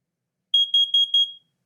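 Four sharp high-pitched beeps in quick succession, under a second in all; the alarm sounds on test, unit working.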